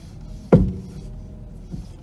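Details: 1991 Mercedes R129 500SL, 38K miles, stationary: one solid knock as the steering wheel turns, then a fainter one; clunk from steering or front end, side unknown, drives fine without vibration or wandering.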